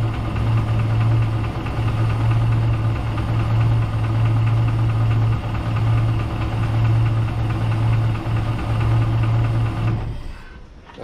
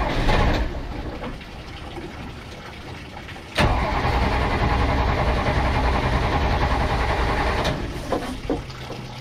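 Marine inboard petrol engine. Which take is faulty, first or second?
first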